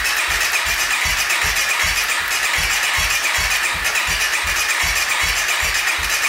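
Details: 2014 Honda CRF250L dirt bike that won't start: starter spins the engine in even pulses about four a second over a constant hiss, never fires. Owners report the plug gets wet and it occasionally pops; cranking compression checks near the 87 psi spec.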